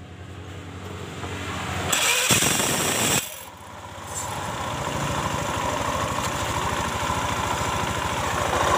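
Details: Honda Spacy scooter after replacing a snapped CVT V-belt (engine previously ran but wouldn't move): starter whirr, then it catches and settles into a steady, even idle with no slipping or rattling from the belt drive.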